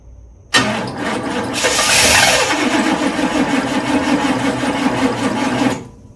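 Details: 1991 hearse with a rotted fuel system, new fuel filter and 2.5 gallons of fresh gas, started on ether: fires and runs rough for a few seconds then dies; hard starting, throttle body suspected.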